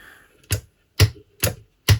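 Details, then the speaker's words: 1970 Electro-Harmonix Triangle Big Muff V1 after service, with contact cleaner sprayed around the power switch: four short, crisp pops as the switch is toggled, replacing the earlier long crackle. "it's a crisp clean pop now if you remember you go back in the video before when we tested it was more like a like a like a long drawn out crackling as you turn it on and off"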